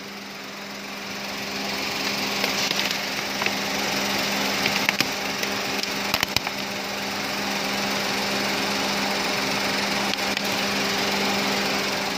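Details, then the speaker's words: Perodua Axia, A/C on: radiator cooling fan spins with a steady even air rush and low hum; air bubbles in the cooling system make the temperature sensor slow to detect heat. "Kalau kita hidupkan aircon, kipas pusing, suhu tuh akan turun."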